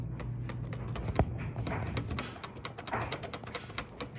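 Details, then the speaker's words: Vintage bike's cranks turning with quick, regular dry clicks and knocks from a worn bottom bracket that needs rebuilding. "That is in fact knocking, which is a great indication of the fact that number one, our bottom bracket needs rebuilding."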